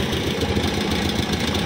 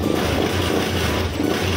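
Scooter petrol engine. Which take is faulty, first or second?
first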